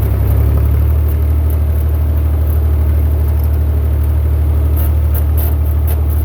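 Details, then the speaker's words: Massey Ferguson 35 Perkins diesel tractor after budget rebuild (cylinders honed, head cleaned, new gaskets) driving in second gear: steady low rumble pulling evenly under load, no misses or knocks; now not smoking and with plenty of power. "so to be honest with you I got $130 in this whole rebuild to get it from not running smoking weak on power to now running not smoking and got plenty of power for what I need"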